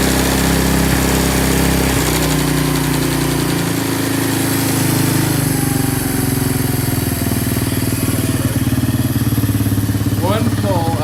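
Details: 1987 Honda TRX200SX single-cylinder ATV, just after its carb was cleaned (apparently the first time) and fresh fuel added, in cold weather: steady fast even idle thumping with no surging or stalling, running cleanly; normal idle.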